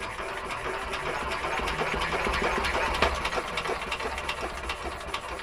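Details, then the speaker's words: Petter A11 (A1 series 2) vintage single-cylinder stationary engine, stored damp in a container for four years, being cranked: steady slow chuffing about three beats a second, never fires; owner keeps losing spark, suspects a poor lead connection, the plug, and finds intermittent spark pointing to bad points. "is not a happy bunny. Keep losing spark. I will just find another plug quick."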